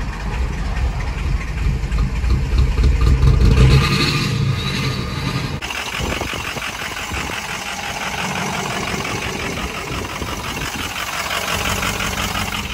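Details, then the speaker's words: Ford 6.0 Powerstroke diesel truck that was loping with fuel cutting out: it catches and settles into an uneven, loping, rhythmically stumbling idle, running rough because the ICP sensor is unplugged, and the engine keeps running. "i have the icp sensor unplugged that's why it's running real rough but it's running"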